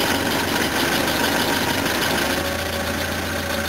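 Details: Normal idle on a flooded van that smelled of fuel in oil: steady, even idle, smooth low beat, no stumble, after disconnecting crankcase breather to vent fuel vapor that had caused warm stalling.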